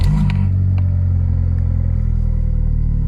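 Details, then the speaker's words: Used VW Polo, 140 mileage, start-up: engine catches and settles into steady, even low idle with no misfire or clatter; airbag and boot warning lights on. "Idles quite nicely, and it's got airbag light on, handbrake light on."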